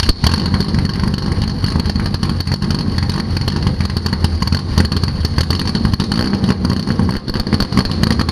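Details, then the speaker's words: Chevrolet Biscayne six-cylinder with exhaust exiting in front of the rear tire: deep, loud, even exhaust rumble at steady idle with a raspy edge, no misses or knocks; healthy engine, very loud exhaust. "good god that thing sounds loud and nasty guys i'm not gonna lie this is the loudest most obnoxious sounding six cylinder i've ever heard in my life"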